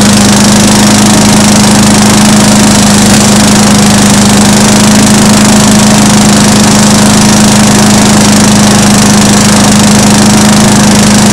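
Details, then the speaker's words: Small mower engine after valve lapping and reassembly with reused gasket, primed twice: better compression, starts on one pull instead of 3–4; strong steady hum at constant pitch, no stumbling or popping, fuel now fully burning; normal running. "That sounds a whole lot better actually. And before it didn't start at one pull."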